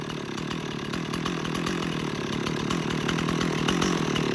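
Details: Stihl 026 chainsaw, two-stroke, started up and running: steady, buzzy note at an even speed with crisp firing and no stumbling or rattles; saw sounds healthy.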